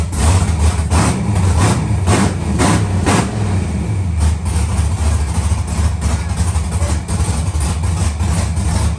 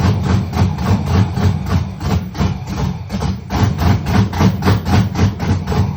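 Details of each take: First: Rebuilt LS V8 in a Monte Carlo after first start, with some MAP sensors not yet hooked up: steady, even idle with a smooth low rumble and no knocks or misses; it responds on throttle and sounds healthy. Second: Rebuilt LS engine in a Monte Carlo, first fire-up with MAP sensors not yet hooked up: it chugs with a loud, choppy pulse of three to four beats a second, with fire from the exhaust; rough idle, still needs tuning.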